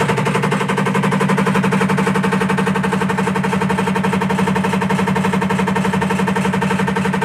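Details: Rhythmic rattling from an IFB top-load washing machine: a hard, even beat about twice a second over the motor drone, steady throughout, like something loose knocking as the drum turns.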